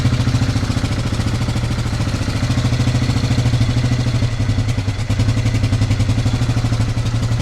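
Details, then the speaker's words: Yamaha Grizzly 600 ATV (about 1998–2001) single-cylinder after idle adjustment: steady thump about three beats a second without stumbling, no black smoke; idle fixed, though revving still troubles it and owner suspects valves. "Okay, I think I got the idle portion fixed on this thing. There's no black smoke idling good."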